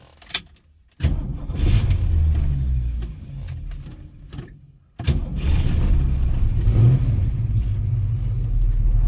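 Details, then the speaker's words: 1967 Ford Mustang V8 being inspected before purchase, cold start: cranks, catches, shuts down, restarts into a deep steady idle with no knocks or misses; good oil pressure on gauge; normal start. "She's cold right now. Good oil pressure."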